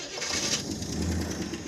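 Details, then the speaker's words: Freshly revived 425 engine with Quadrajet carburetor, just started after sitting: quick light ticking over a rough just-started idle; cold-start lifter clatter expected to fade once oil pressure builds. "All right. It runs lifter clatter. That'll go away with oil pressure."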